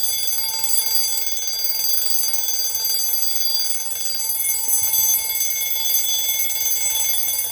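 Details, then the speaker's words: 1905 Waterbury spasmodic alarm clock after repair, freshly wound: loud rapid continuous metallic bell ringing like a fire alarm bell; alarm mechanism working properly. "as you can hear this clock is Extremely Loud it almost sounds like a fire alarm Bell but again it's it's it's running fantastic"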